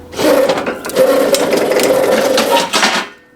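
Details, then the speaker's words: Roughly 40-year-old 1980s Yale/Eaton 6,000 lb forklift, run after sitting eight years; a harsh, raspy metallic grinding while it moves; owner thinks it needs lubrication or bearings, not confirmed. "well it moves that's cool doesn't sound very good doesn't sound very good dud I don't know what's going on here but it doesn't sound hot sounds really bad dude"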